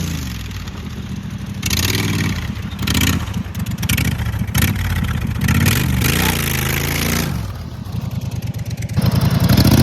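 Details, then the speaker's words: Cold start of "Clifford" after carburetor clean (had been running very rich); small single-cylinder petrol engine with a real short cut-off exhaust fires up, revs freely, settles to a steady even beat, no misfire; sounds good, running normally. "That thing sounds good. It's just you cut the exhaust off. It's got a real short exhaust, and you pulley swap it, go to town."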